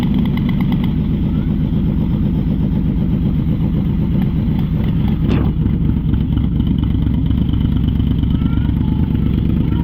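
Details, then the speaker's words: Yamaha Vmax V4 motorcycle, started cold: uneven, lumpy loping beat like a grumpy V-twin as one cylinder drops out; idle misfire, owner believes fuel delivery problem, to test by unplugging fuel pump. "as you can hear uh it's a fuel delivery problem so what I'm going to do in a minute I'm going to restart it"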